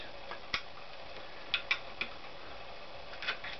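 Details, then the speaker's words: GL500 dynamo part being dismantled, rubber-bonded piece that ran very hot: dry, irregular crackles when flexed by hand as the hardened rubber and glue separate. Failed part, discarded. "The rubber and glue is hardened. This one was very hot. It comes out of each other. You can hear a crackling sound, and there you have it."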